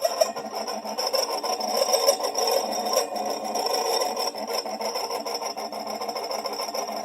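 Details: Moskvich 410 heater blower motor on bench after repair for sticking brush and weak speed: commutator cleaned, brush springs stretched, coked grease replaced; steady even whirr, faint brush rustle, no squeal or scraping; normal running.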